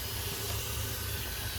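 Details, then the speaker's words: Old marine steam engine on first start attempt on steam, wouldn't run on air: steady hiss over a low rumble as steam leaks at the cylinder head, escaping out of the bolt holes; known head leaks. "That's a weird way that it's leaking though over here because it's leaking out of the bolt hose."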